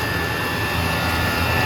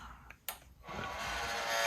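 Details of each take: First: Two Chinese diesel heaters running at full throttle 6 minutes after start, garage cold, outside mid-to-upper 20s: steady even roar with constant high fan tones, no surging; running normally. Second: One of two Chinese diesel heaters in a cold garage (49 degrees inside), switched on: clicks then a loud steady hiss and buzz from the power supply, which is extremely loud while the fan runs.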